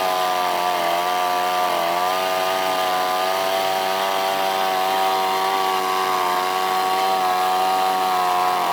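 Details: Outboard just after carburetor install, first start: steady, even buzzing drone with slight pitch drift and no misses; runs smoothly.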